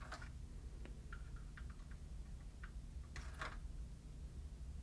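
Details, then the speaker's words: Marantz CD5400 (2004) CD player with Sony KSS213C pickup, open/close pressed after freeing a stuck tray: faint scattered ticks and clicks over a low hum while the tray fails to pull in; owner suspects the limit switch, belt to be checked. "H, it's not pulling it in. Maybe it's the limit switch."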